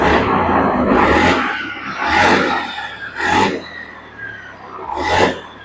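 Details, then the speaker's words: Honda Beat ESP injection scooter after TPS sensor and fuel pump replacement, before the throttle reset: four sharp throttle blips, each revving cleanly and dropping back to idle without stumbling; crisp throttle response, running healthy. "padahal ini posisi sepeda motornya belum kita reset ini belum kita resiset tapi dia udah ngangkat untuk gasnya udah mantap"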